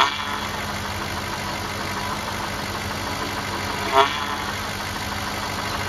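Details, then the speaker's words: 2007 Cadillac DTS after replacing and bleeding the power steering pump: steady quiet engine hum with no groan or whine while steering; pump sounds normal, some air bubbles remain in the reservoir. "See, that's what it's supposed to sound like."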